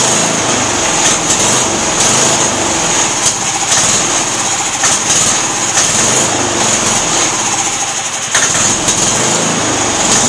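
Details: Auction-bought MTD lawn tractor small engine, first start after cleaning parts: buzzes high and uneven with stumbles and dips, kept alive only by carb cleaner sprayed into the carburetor; fuel filter appears empty, fuel starvation.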